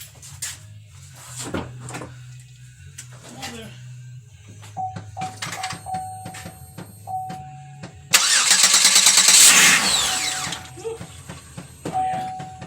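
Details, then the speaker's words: Buick Terraza van that wouldn't start, battery checked good, cranked with a little gas: brief strong cranking, then the engine catches with a burst of revs and settles; starts strong and cleanly. "Also gotta give it a little gas. Sounds like it starts pretty strong."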